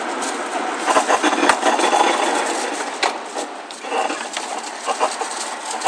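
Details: Car turning slowly into parking: irregular dry creaks and rubbing squeaks from front suspension; driver's-side ball joint later broke while reversing, and the noise was gone after repair.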